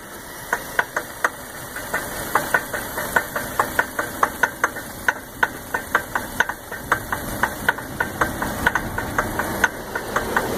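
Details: 2001 Lincoln LS V8 that won't start: rapid sharp ticking, about three to four clicks a second over a faint steady background while cranking; owner suspects broken timing chain or water pump, not confirmed.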